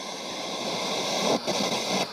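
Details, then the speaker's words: c.1989 Hitachi MS-W600W twin cassette boombox radio, antenna raised: loud rushing hiss with crackly surges and dropouts, no clean station; noisy switch, volume and balance controls make radio unusable, owner suspects grime or a fault. "Alright, the radio's not working. It sounds like it's trying to work, but between this switch being very noisy, the volume being almost, there doesn't seem to be any control on it."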